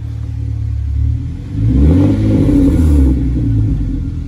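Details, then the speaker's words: Hyundai Genesis Coupe after fitting Ark downpipes: sharp rev and fall-off with a faint metallic rasp trailing as revs drop; exhaust tips shifted off centre and hitting. "Something's loose back here, watch, come. Hit it again. You hear the like little rasp after? Hit it again. I don't know what's loose."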